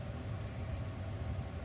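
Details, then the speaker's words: Heater/AC blower motor tested after cleaning fan speed selector switch contacts (not the resistor, which was replaced with no change): steady airy rumble stepping from low to second speed, no rattle or squeal; healthy. "so i don't know if you can hear that low speed and that's here second speed if you can hear that change"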